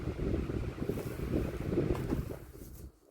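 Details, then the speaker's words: 2016 Arctic Wind 12-inch desk fan switched off via push button: blade whoosh fades smoothly over about three seconds with no rubbing, clicking or wobble; decent bearings, normal spin-down. "It seems to have a decent spin down. Has decent bearings, but there you have it."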